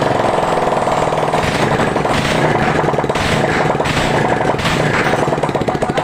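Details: Old Honda Revo single-cylinder motorcycle, rough and smoking before repair, warming up after cylinder block work with exhaust reinstalled: fast, even pulsing with no knock or rattle; running normally.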